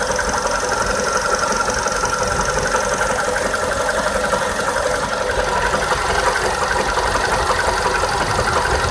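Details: 2012 VW Polo Sedan with 43,000 km, after 80 km of highway driving: steady knock roughly twice a second over the running engine without letting up; source of the knock unclear.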